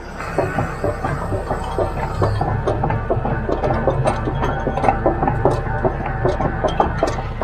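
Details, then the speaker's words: Hitachi UH043 excavator after the seized top track roller that caused screeching was greased: tracking with the usual irregular link clatter and no squeal or screech, the roller now turns freely; normal track roller operation. "Problem solved. No more horrible noises."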